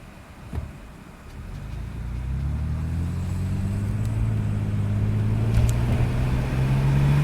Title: Test run after vacuum leak/clogage